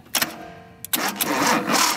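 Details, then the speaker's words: 1976 Datsun 280Z, starter freed by tapping with a brass hammer and jumped directly with clips: a few sharp clicks, pause, then the starter spins and turns the engine over evenly; possibly a flaky ignition switch before. "we go and it works now it was actually turning the engine over"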